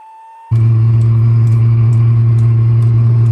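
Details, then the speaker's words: Diesel heater on a boat, heard at the exhaust: silence, then combustion catches and a steady low hum sets in with a soft fuel pump tick about twice a second; heater starting and running properly. "okay you can hear the combustion starting actually it doesn't sound like a jet engine starting"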